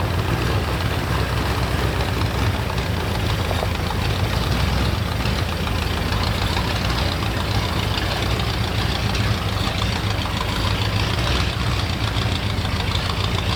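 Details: 1977 Ford F150 4x4 V8 barn find, sat about 20 years, back at the shop on ramps: lumpy, uneven idle with stumbling pulses, running really rough; a major vacuum leak is suspected.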